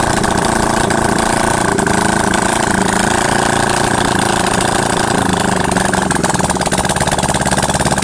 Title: yamaha xs400. After rebuild.